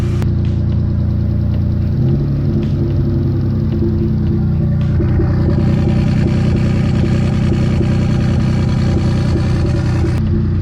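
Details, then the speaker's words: V6 with seized hydraulic lash adjusters running uneven and lumpy with ticking; all three cylinders on the right bank not firing, valves suspected stuck open; top-end issue, not rod knock. "now all three cylinders on this Bank which is the right head they are not firing whatsoever they're just along for the ride so these ones are running okay"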